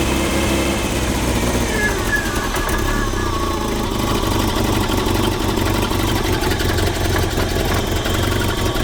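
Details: 1978 Triumph Spitfire 1500, parked for years, running for the first time: catches and runs unevenly with a ragged beat for a few seconds; rough running, tune still needs sorting.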